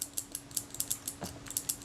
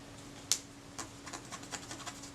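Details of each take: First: Kodak Retina I type 126 camera from 1936–37 being serviced. After the arm is lubricated with molybdenum paste, the shutter fires with crisp, snappy clicks and a smooth gear-train whir. The shutter action is normal. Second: Kodak Retina I type 126 camera (1936–37) during servicing: faint dry scratching squeak as a swab drags over a shutter blade roughened by surface corrosion, unlike smooth clean blades; to be polished with Brasso.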